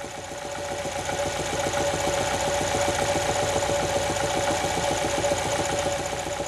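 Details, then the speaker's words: Ford engine idling with a steady deep knock, about three to four raps a second, louder at 2000 rpm; caused by a worn main bearing; main bearing knock. "it's a main bearing there's a lot of wear it makes that kind of noise"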